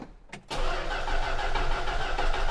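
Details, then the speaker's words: Old collector car with a history of fuel problems, about half a gallon of fresh gas added and a varnish smell from the tank: the starter cranks steadily but it never fires, no gas seen in the fuel filter; crank, no start. "Let's see if we have any in the fuel filter. Does it have a fuel filter? Maybe. Oh, yeah, it does. Don't see any gas in there yet."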